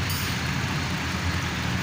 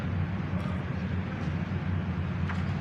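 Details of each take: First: Mercedes SLK, code P0302: uneven lumpy idle with shaking from an engine misfire; all six coils tested fine, old worn-out spark plugs found and replaced. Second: Mercedes-Benz SLK after fixing code P0302 misfire by replacing old worn-out spark plugs, all six coils tested good: smooth, steady low idle with an even beat and no stumble or skip.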